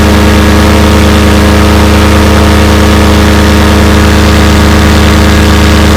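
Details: Fresh Breeze Monster paramotor, back from repairs, full-thrust run against a house wall: loud, steady high-rev drone with an even pulse and no burbles or missing, a little bang at the end; normal full-throttle run.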